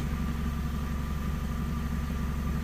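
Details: PT Cruiser after timing belt work, warming up; the scan tool had shown cam and crank out of sync at start, now in sync: a steady even low idle hum with no stumble or misfire; running healthy.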